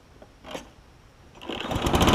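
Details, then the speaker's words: Craftsman self-propelled push mower, a trade-in after its broken handle was replaced, carburetor untouched: cord pull, engine catches and climbs to a steady even buzz, running healthy. "It's always a good thing when you get a running push mower. You don't have to break open the carb, you just replace the bits on the outside."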